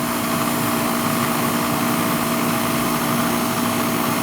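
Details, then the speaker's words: Old Goodman R22 air conditioner: steady compressor and fan hum, even tone, no knocking, but the air coming out isn't hot; gauge reads about 20 PSI, far too low, refrigerant charge lost, suspected leak. "Got a leaker. Think? Yeah. Fucking 20 PSI. See it? 19? Yeah. No good. It's way too low there."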